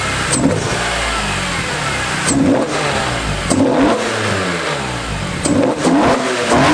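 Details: BMW E46 M3 S54 engine with newly installed PSDesigns velocity stacks on the ITBs: four sharp rev blips every second or two, crisp loud intake bark, each falling cleanly back to idle; healthy engine.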